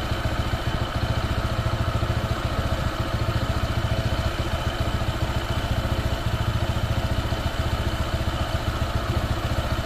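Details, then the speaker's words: Honda PCX 160 scooter, new and not yet broken in, with an uneven idle thump near 3.5 a second that sags and stumbles toward a stall, plus a rattling sound; the owner suspects it needs break-in. "ayan na ayan na Malapit na mamatay Ayan na may makalansing eh"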